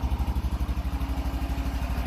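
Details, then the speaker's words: Cold engine with choke on, just started and reluctant to take throttle: a slow, lumpy single-cylinder thumping at about eleven beats a second that struggles to pick up; cold engine hesitation until warmed and the mixture is right. "think she's warmed up see if she'll take some throttle little cold come on BBE oh come on work through it it's a little cold"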